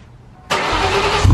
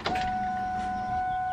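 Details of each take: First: Cobra after a no-start, gas tank not yet reinstalled: brief crank, then it catches at once and settles into a steady low idle with no stumble; clean, healthy start. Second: Cobra that won't start, fuel pump heard after cranking: clean, steady high whine that never drops or strains, sounding different from before cranking; owner suspects the feed line pushed off in the tank, so the pump runs unloaded; fuel pressure not yet checked.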